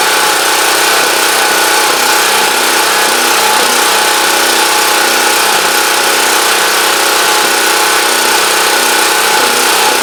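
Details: Champion Dual Fuel 3500 W generator running after carburetor cleaning cured a no-start, started on full choke; steady, even small-engine drone without misses, surging or hunting, deemed normal though unsure if slightly rough, as it always sounds.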